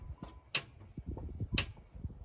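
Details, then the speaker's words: 2010 Chrysler Sebring that sat a long time during the pandemic won't start: only a few sharp dry clicks about a second apart, with no cranking; the starter clicks but the engine never turns over. The battery is checked next. "so uh what we're gonna do is it won't start i want you to hear what it sounds like"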